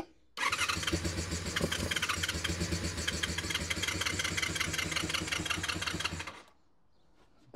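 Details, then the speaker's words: Honda VFR400 NC24 motorcycle V4 after stripping, cleaning and rebuilding blocked carburetors, started on a booster pack; brief crank, catches and runs with a fast, even beat about six seconds, healthy start, carbs not yet balanced. "Alright, so boost packs just to save the customer's battery whilst we're trying to start it. Oh, that sounds favourable."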